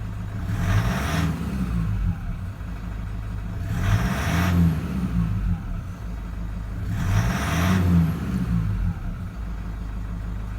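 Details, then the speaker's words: 2008 Toyota Land Cruiser Prado 120, 1KD-FTV diesel, 182,000 km, running about two minutes. Gentle revs rise and fall every few seconds over a lumpy, uneven clatter, "a little bit agricultural." Worn, out-of-spec diesel injectors. "We're just going to give it a gentle rev and have a listen to it and check for smoke. It's a little bit agricultural."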